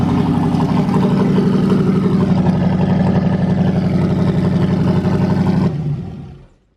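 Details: Turbo LS truck engine in a Corvette at first start after a new crank sensor, 67 psi oil pressure: deep choppy V8 idle pulsing at a steady lumpy rhythm before shutdown. Runs clean, just big-cam lope, no faults.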